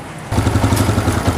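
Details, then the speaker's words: Honda CG125 single idling after its oil was changed and a missing oil filter fitted, oil still exiting the silencer: an even steady low putter at about eleven pulses a second, no knocks or ticks; healthy idle. "Sound इसकी जो है वो जबरदस्त है"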